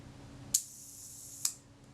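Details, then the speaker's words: Retina Reflex S camera shutter, after adjusting the gear-train engagement screw: crisp open click, then the closing click about a second later at the one-second setting; timing sounds about right, still to be tested. "yeah that sounds sounds credible doesn't it i can go away and test this"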